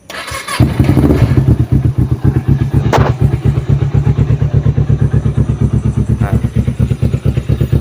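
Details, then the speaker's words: Kawasaki Ninja 250 twin with Yoshimura exhaust: fires on the first try and settles into a quick, even pulsing idle with no ticking or stumbling; normal, very smooth healthy engine. "Jadi kalau misalkan motor 250 itu masih normal, suaranya sangat halus teman-teman."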